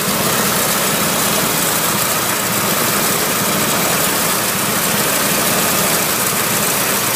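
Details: 1961 Willys Jeep CJ5 with 1957 Chevy 283 V8, manual choke, idle set slightly high for winter warm-up: loud steady, even idle with no clicking, ticking or knocking; healthy.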